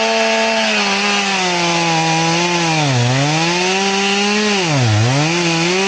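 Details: Chainsaw with its chain filed to 10 degrees, in the cut: a steady, high wail that sags twice as the bar loads, bogging and cutting slowly like a dull chain.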